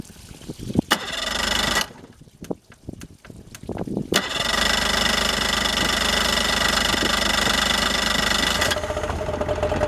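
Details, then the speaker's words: Yamaha outboard on flushing water: a few cranking bursts, then it catches and settles into a steady, even, bright buzzy idle and warms up. Clean, normal start. "that was a pretty good start all right she's warmed"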